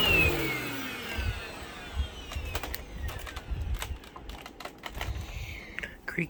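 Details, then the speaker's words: Shark Infinity Pet Care vacuum on carpet mode: motor whine sweeps down under load with irregular creaks and ticks, and the brush roll stops repeatedly; the very old brush roll belt is worn and needs replacing. "creaky creaky all right so as you could hear the belt on this is like pretty much shot like it's it's really old clearly needs to be replaced"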